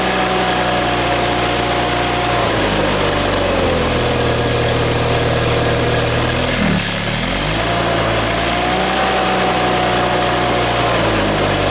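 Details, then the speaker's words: John Deere 318 engine just reinstalled with reworked intake manifold (previously surging), new plugs, wires and oil, shrouds off, on choke at start-up: steady hum, dip near seven seconds, recovers to fairly high idle; idle likely needs to go lower. "This has to be able to go down more for the idle, I believe."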